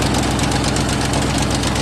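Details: 2008 Ford Mustang GT after sitting a couple of months with a weak battery: a steady, rapid, loud knock over the idle, even and persistent; the knock is why the engine is being replaced.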